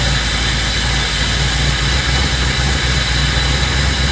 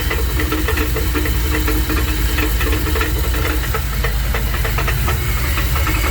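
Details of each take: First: 1984 Dodge D150 with a 360 small block, after fixing a torque converter knock caused by poorly secured, mismatched bolts; rain may be audible; smooth, even low idle rumble with no knocking or rattling from the bellhousing; normal idle. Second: 1984 Dodge Ram D150 with 360 small-block V8, suddenly banging after a 5-hour road trip: heavy rhythmic banging at idle that follows engine speed; cause found to be loose torque converter bolts at the flexplate.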